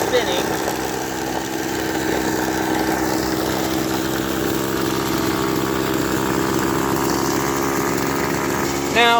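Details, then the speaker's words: Echo SRM-200BE two-stroke string trimmer at rest with line spinning: small steady buzz sitting a bit high, fast idle, possibly out of carb adjustment; owner notes earlier carb issues. "the idle does seem to be a bit fast but um I'm not sure it could be out of adjustment"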